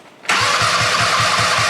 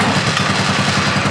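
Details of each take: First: Go-kart engine with replacement CDI ignition module (smaller than the original, same plug): about seven seconds of steady cranking at roughly four beats a second with no firing; wrong CDI type gives no spark. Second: Fox Carbide 150 go-kart with GY6 engine, below-freezing cold start after starting problem fixed: single-cylinder catches easily, quick even putter without misses; normal cold start.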